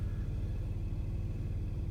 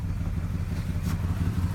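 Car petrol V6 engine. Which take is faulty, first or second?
second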